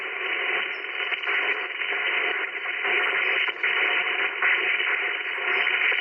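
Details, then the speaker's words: Ham radio receiver in an SUV picking up interference from the solar charge controller during bulk charging at about 10–12 W on a cloudy day: a constant hiss with faint rhythmic pulsing, about S3–S4, dropping to S2 when the panel is unplugged. "there's a huge difference when i unplug the solar panel uh the the noise is almost like a rhythmic noise that that goes"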